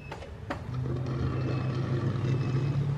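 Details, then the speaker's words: 1991 Honda CRX Si with JDM B16A swap, no-start: starter cranks steadily at about four beats a second with no firing; cranks but won't start, apparently out of fuel. "nothing yet just keep going huh hey he might be hugging yes oh here try it again yeah i think you're out of gas man"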